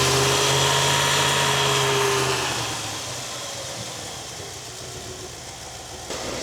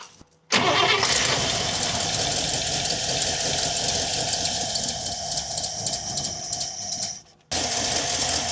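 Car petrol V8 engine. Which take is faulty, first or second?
second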